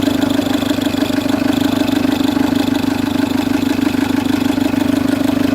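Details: Citroen C3 HDi diesel at idle: a steady loud whirring drone over the diesel clatter from a worn auxiliary/serpentine belt tensioner, which is to be replaced along with the belt.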